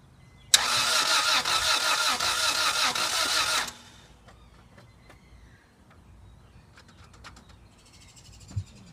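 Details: 1997 Acura Integra GSR with new spark plugs and wires cranks at an even rhythm for about three seconds but never catches or fires: cranks, no start.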